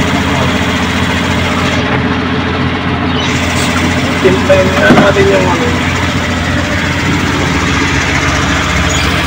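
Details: Suzuki Multicab F6A carbureted engine that would not start, now running after carburetor overhaul and cleaning, float valve and distributor adjustment: steady, even idle with a brief smooth rev, no misfire or knock, sounds healthy.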